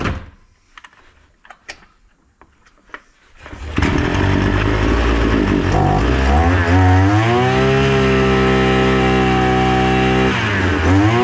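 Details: Datsu brush cutter (two-stroke), left unused about three months since hazelnut season and brought in not starting; after repair it fires, revs up, holds a steady even speed, then eases off; runs smoothly and healthy.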